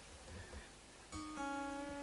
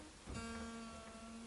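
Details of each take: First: Fender American Elite Strat during setup, received new from a retailer; sustained note being tuned broken by sharp metallic pings as the string sticks in a too-deep, tight nut slot; slot widened to stop it catching. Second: Fender American Elite Strat setup: after widening a deep nut slot where the string was catching, a plucked note rings cleanly and steadily with no nut ping.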